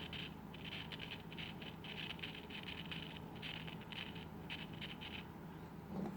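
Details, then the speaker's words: 1960s Volt 2 transistor radio, previously completely dead: rhythmic scratchy crackle bursts from the volume control, about two a second, come through the speaker over low hum, showing the transistor amplifies, but still no radio reception. "scratching inside the volume control that's a good sign so if you can hear that or not so that means that now noise coming into the base is actually getting amplified through that transistor and coming out the speaker"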